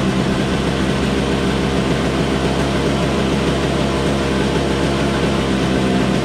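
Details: Toro Snow Commander two-stroke snowblower, running after refuelling with 50:1 TruFuel; smooth constant drone with no surging, popping or dying out; it just needed gas.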